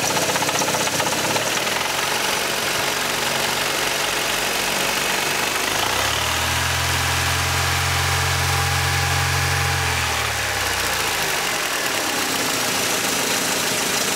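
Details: Mercedes C124 230CE with 2.3 M102 engine: harsh metallic rattle at low revs, swelling and easing with revs; exhaust, heatshields and flex plate checked and ruled out, cause unconfirmed.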